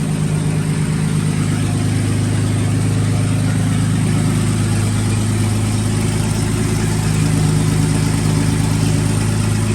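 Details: 1954 Fargo half-ton flathead six idling after rebuild with new piston rings and valve adjustment: steady, deep idle, even beat, no knocking or ticking; good oil pressure. Carb float height thought to be the issue, still to be adjusted a little higher; owner thinks water pump needs replacing.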